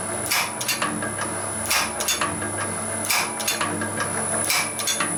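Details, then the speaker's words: Can crusher/materials processing machine running at 33.5 Hz: sharp ticks in small bursts about every second and a half over a low hum, the switch below clicking; normal operation. "And you can hear that clicking. There's the switch down there."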